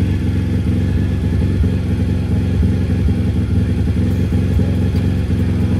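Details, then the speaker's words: CRZ 160 two-valve single-cylinder pit bike, just after valve adjustment, oil change and carburettor screw set; even thumping at fast idle with only a faint light valve tick, normal rocker operation; running normally, carb tuning still pending. "on entend un tout petit peu le bruit de fonctionnement des soupapes c'est normal c'est d'aller basculer en action etc donc forcément tu entends un petit bruit mais c'est normal c'est un moteur qui fonctionne"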